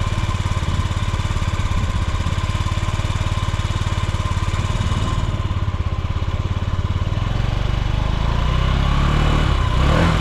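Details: Yamaha Gear scooter (UA08A) running check: low, even, quiet putter about three and a half beats a second with no knocks or rattles; normal idle.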